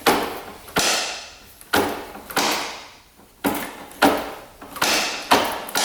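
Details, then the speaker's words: 1996 Kawasaki KX250 two-stroke that shut off while riding, engine turned over by hand in fifth gear: sharp knock then scraping drag each turn; sounds like rod or piston hitting the cylinder. "Almost sounds like the rod is knocking the cylinder. Almost like the pistons out of it is what it sounds like, but I know it's not."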